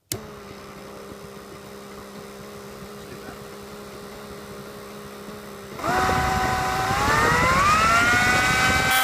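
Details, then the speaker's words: Kenwood Chef A701/A mixer motor, removed and held by hand with no load or pulley, centrifugal governor speed control: steady low hum, pitch climbs smoothly as speed is turned up; strange slow running unloaded is normal governor operation. "remember there's no load or pulley or anything on this motor so it's going to run strangely at slow"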